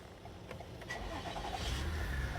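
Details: 2018 Toyota Highlander push-button start with the original smart key after programming new keys: starter cranks briefly, engine catches and settles into a steady low idle; normal start.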